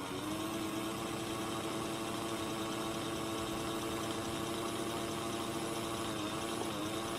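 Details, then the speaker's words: Hornby S15 model locomotive motor on a meter: steady whine that periodically sags and recovers in pitch; current rises from about 240 mA to around 320–380 mA each time it slows; a failing motor. "we are you can hear it flipping and look every time the loco slows down the current goes up"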